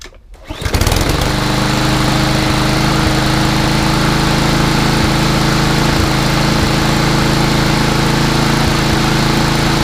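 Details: Craftsman 247.374410 mower with a Briggs EX engine that previously wouldn't start, restarted: fires at once and holds a smooth, even high-speed drone for ten seconds with no misses or surging.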